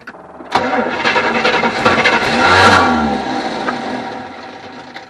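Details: 1974 Avanti, revived after sitting: steady starter churning for about four seconds with an even rhythm, engine never catches; it later ran with added fuel.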